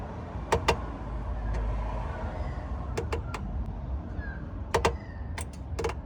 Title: Clutch noise problem 2022 Suzuki Jimny